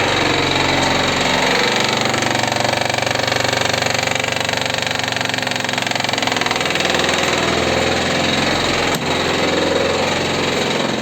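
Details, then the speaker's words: Daewoo Sens (Slavuta) gearbox: heavy, rapid rhythmic knocking over the idle with the clutch released that quiets when the clutch is pressed; drained gearbox oil brought out pieces of broken gear teeth. "выжимаем сцепление стихает что-то в карабахе решили слить масло новой с новой коробки что выяснилось в итоге я просто начал сливать кусочки шестеренок"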